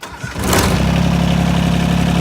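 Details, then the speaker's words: 1986 John Deere 330 diesel tractor, glow plug light working, neutral safety switch working: brief crank, then catches at once and settles into a firm, even clatter; clean, healthy cold start, runs really good with a little black smoke. "And there you go. As you can hear, it runs really good. Rolls a little bit of black smoke, which is pretty sweet."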